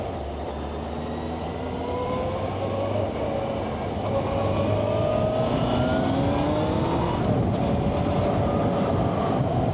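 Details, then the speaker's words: Yamaha Fazer motorcycle on a dual-carriageway test ride after new front wheel bearings and tyre air were fitted to chase a noise: steady engine drone rising smoothly through the gears under heavy wind and road rush, no rhythmic tyre drone, sounds normal. "yep it's very different definitely still a look you can hear the road up through the fairing there but I guess it's coming up through these two holes more than you know"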